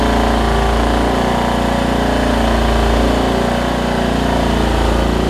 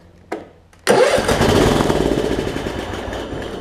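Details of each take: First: Craftsman LT1750 riding mower, Kohler Courage engine, after getting fuel up to the carburetor: steady, loud single-cylinder idle with no misses, stalls or surging; now running well. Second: Craftsman LT1750 Kohler mower, first start attempt: couple of clicks, catches with a sharp bang, runs rough a few seconds, fades out; fuel starvation, fuel pump not delivering, possibly crud in the gas tank.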